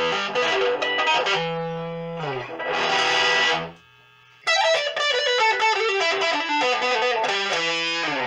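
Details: Cubo Meteoro Atomic Drive 20W guitar amp after repair of noisy, crackling potentiometers (drive channel tested): chords and lead clear, pauses quiet with no hiss or crackle; clean output.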